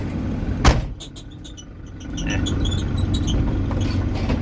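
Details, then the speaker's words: 1979 Chevrolet Scottsdale 4x4, long-sitting, moving slowly in first gear at high rpm: sharp thump then short high chirps over rising engine; squeak from the door. "it's been sitting long enough where I do not want to take it out on the road we got something squeaking back here imagine that"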